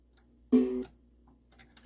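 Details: South Park pinball, Subway switch seated in its groove under test: a single clean chime rings in a quiet basement as the switch closes and registers; off-centre it stops registering.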